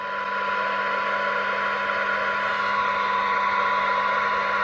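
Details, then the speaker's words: 1982 Realistic TRC-1004 rescue radio after repair, bench-tested receiving a weak signal around 0.9 microvolt for 12 dB: steady hiss with faint constant test tone, weak low-end but within spec. "it doesn't sound that great on the low end um not a lot I can do about that um but it sounds fine as the signal picks up"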